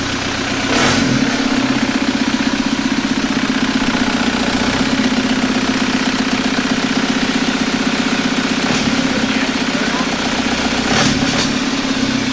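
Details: 1991 Toyota pickup with swapped 1.9 L ALH TDI turbo diesel from a 2000 VW Jetta, running with oil cooler thermostat opening and lines hot. Firm, even diesel clatter about four beats a second with a steady low drone; idling smoothly.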